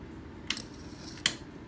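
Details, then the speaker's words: Sanyo EZ20 CRT TV at power-up after repair work: two sharp snaps around a brief high-pitched whine, arcing below the flyback; flyback blown, to be replaced, horizontal output transistor probably okay. "Well, I fired it up, and we have another issue here. If I fired it up, I saw arcing right here."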